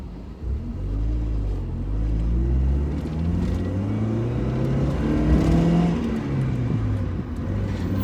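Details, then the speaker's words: Mazda Miata driving home from the smog shop; it pulls up through the revs, then hesitates and is restricted just below 4,000 rpm before picking back up about 4,500 rpm: flat spot under acceleration. "it's restricted just below 4 000 and then it picks back up at about 4 500."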